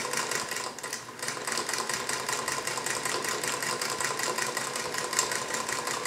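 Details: Singer 221 Featherweight sewing machine stitching with quick, even needle ticking and no heavy clunks; the earlier loud clunking came from a cheap folding table letting it vibrate, and it went away on a sturdy wood table.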